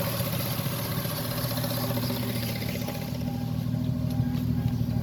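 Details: Toyota JZS171 1JZ-GTE engine at warm idle after about 20 minutes of driving: steady idle with a faint light tick, roughly two per second, source not pinned down; engine ticking when warm.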